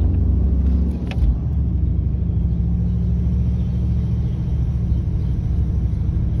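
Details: 1997 Cadillac Deville 4.6L Northstar, driving: at stop sign with foot off brake, steady low engine drone lifts slightly in pitch as idle climbs back up and hangs high; high idle surge.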